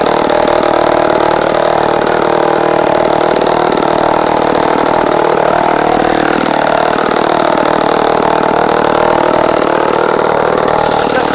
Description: Saw starts and runs strong, cuts wood like a champ.